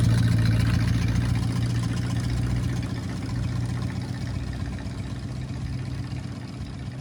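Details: 1968 Ford Torino after 20 years sitting in a barn, warming up: steady, even low rumble at idle running a little high; carburetor needs adjusting.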